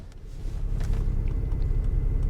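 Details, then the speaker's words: Salvage-auction vehicle with a failed power door, started without a jump on a cold day (about 46°F). Engine settles into a steady, even low rumble with no knocks; no warning lights, running smooth before putting it in gear. "running smooth let's put it in gear"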